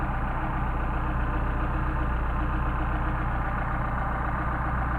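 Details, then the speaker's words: Solex carburetors on an engine, warm, linkage rod adjusted via turnbuckle: smooth idle about 725–750 rpm, calm even beat, no stumbles; carburetors well balanced. "indicated 7. There's 700, so we're about 725, 750. So we got a nice smooth running engine, and now let's have fun."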